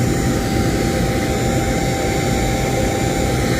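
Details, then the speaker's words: New Holland T6.175 tractor cab blower fan after replacement, running on high: steady even rushing air, no rattle, squeal or wobble; air coming through all vents. Normal blower fan running. "Ho ho, it works. How about that? Can you hear it? That's high."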